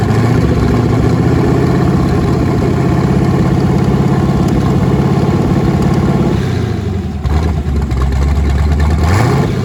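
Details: Twin-turbo LSX V8 Nissan 240SX first start after new turbo setup, on Holley Terminator X wizard base tune, fuel pressure not yet set, out of gear; loud deep rumble, lumpy idle, throttle blips rising and falling cleanly, normal revving.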